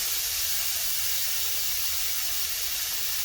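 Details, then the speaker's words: Eastwood Elite QST 30/60 scroll compressor with new pressure switch, just after cutting off at pressure: steady, even hiss of air bleeding off through the release line with the motor stopped; normal unloader release. "That air you hear it's got an air line that releases pressure out of here. Comes down around, that's what this guy is, and it's blowing air out right now."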